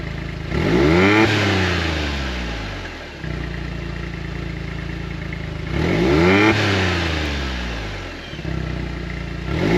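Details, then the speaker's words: 2016 John Deere Gator 825i UTV, fuel pressure about 50 psi, falls at key-off: engine revs up twice and drops to idle with an uneven, stumbling exhaust beat, a miss; owner suspects the fuel pressure regulator, smooths out cruising around 30 mph. "So that may be the fuel pressure regulator. And if it is, that would make sense for what the symptoms are I got because it sounds like it's missing."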